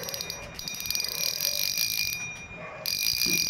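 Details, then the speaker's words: Yolo KT7000 spinning reel after service: the drag had made no sound when loosened, it was manually modified, and now a quick, even high-pitched clicking of about three or four a second comes as line pulls off; the drag clicker works. "చూడండి friends, ఫైనల్గా అయితే spinning reel అయితే drag sound కూడా వస్తుంది."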